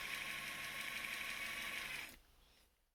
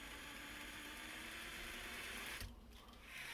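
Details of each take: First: Traxxas TRX-4 Defender RC truck transmission before the fix: quick regular clicks, about three per second, over the motor's high whine, then everything winds down. The gearbox clicks because of excess play. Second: Traxxas TRX-4 Defender after transmission repair: smooth, even electric whir from the drivetrain, briefly pausing, with no clicking in the gears.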